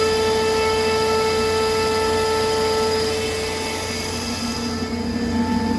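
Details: 2002 Comp Air L55 75 HP screw air compressor, 346 CFM at 100 PSI, wired for 460 V, 26,886 running hours, tested good: steady motor whine with constant tones and an even hum, no knocking or grinding. Running smoothly.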